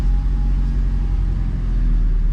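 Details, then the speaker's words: Honda H22A in an EK after wiring harness and TPS repair that cured a high idle: steady, even low rumble, no hunting or hanging; idling normally, though a check engine light remains to be checked. "it's idling totally fine so i'll show you guys that"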